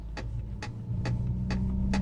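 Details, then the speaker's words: 2021 Mercedes-AMG CLA 45 while driving: sharp light knocks about twice a second over steady road hum. The passenger seatbelt buckle is knocking against the plastic AMG sports seat back. "you hear that noise? That is the passenger seatbelt knocking off of these really fun but plastic AMG sports seats."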